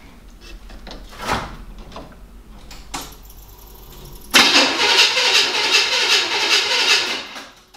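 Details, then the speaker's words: 1975 Chevy K5 Blazer that sat 12-13 years, first try with a newly installed starter: a few quiet clicks, then strong, steady, brisk cranking. The old starter is confirmed as the only starter problem. "and I'm really glad to hear that that was the only problem for the starter"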